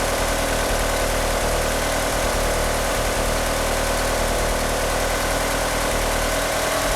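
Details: Car fitted with 850cc fuel injectors idles rough: steady idle with an uneven low pulse and no clean beat under engine-bay noise; it also won't rev up, and the power steering pump belt slips. Cause not confirmed.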